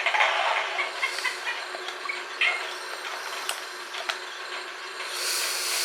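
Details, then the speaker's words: Unic mini Wi-Fi pico projector running, Raspberry Pi connected: constant airy rushing hiss with a few light clicks; cooling fan blows very loudly, its main flaw. "surtout le premier défaut c'est surtout le bruit du du ventilateur ça souffle très fort"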